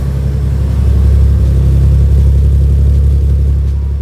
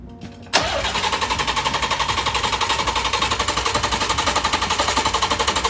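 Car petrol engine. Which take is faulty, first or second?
second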